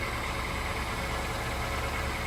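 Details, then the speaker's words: 2007-2011 Honda CR-V idling after a temporary welded repair of a rotted exhaust resonator. Quiet, smooth idle with a soft, even hum and no puffing or ticking. No leaks; normal idle after the repair. "Oh, perfect. Doesn't look pretty, but it does the job. No leaks. Ah, nice and quiet."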